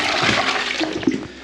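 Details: Newly installed back-to-wall pan in a UK barn, first flush after filling the system: a strong rushing flush tailing off evenly into a quieter refill trickle, with no gurgling or hissing. Normal flush.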